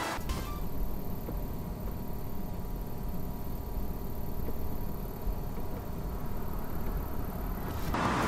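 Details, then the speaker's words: Abarth 595 Competizione Series 4, owned one year: constant thin high-pitched squeak over the air conditioning fan's steady rush; owner told the fan motor needs replacing. "It makes a high pitch kind of squeaky noise."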